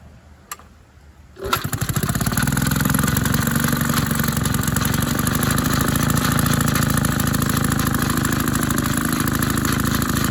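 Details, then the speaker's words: Maytag 72 twin-cylinder engine (one cylinder more worn) driving a power hacksaw via a new 5-inch pulley, with rpm lowered by turning the adjustment screw out: an even, steady low-speed putter with no misses, running well. "it actually is running better at lower RPMs than I thought it would"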